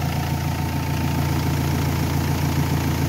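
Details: Renault Espace 3 2.2L idling during an alternator test, 14 volts measured at the alternator: steady, even idle with a smooth low hum, no knocks or misses; engine and charging normal.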